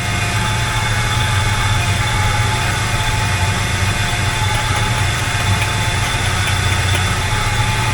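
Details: 1985 K20 V8 after swapping to a tuned Edelbrock 1906 AVS II carburetor (old carb stumbled, heat-soaked): starts instantly instead of long cranking, smooth even idle with steady low rumble, no stumble, miss or knock.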